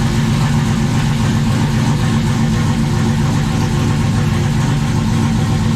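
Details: 1995 Dodge 5.9 Magnum V8 in 1951 Dodge dually, new Comp Cams Xtreme Energy 20-746-9 cam, 60lb injectors, GT45 turbo, engine hot: deep, even idle about 850 with mild lopey cam chop, all eight firing steadily; healthy.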